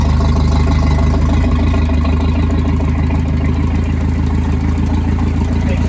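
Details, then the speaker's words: Circa 1986 Starcraft boat engine, stored six months, strong spark confirmed, running on water hookup with water exiting: steady, even low idle with no misses, knocks or hunting; normal idle. "see water coming out right here in this area it's a running very well as a very good Idol"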